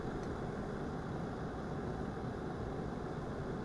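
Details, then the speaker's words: Glass electric kettle heating water: an even low rushing roar from tiny vapour bubbles cavitating, which quietens as the water nears boiling. Normal. "all of these tiny bubbles cavitating is the roar that you hear once the water gets hot enough the water vapor bubbles can stay intact all the way to the surface so you start to hear fewer of them cavitating"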